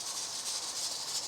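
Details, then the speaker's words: Presto 23-quart pressure canner converted to weighted gauge, 15 lb regulator: steady steam hiss with soft fast rattle of the weight, about a good 15 psi jiggle; dial may read about a pound low; normal. "All right, so that's about a good 15 psi jiggle."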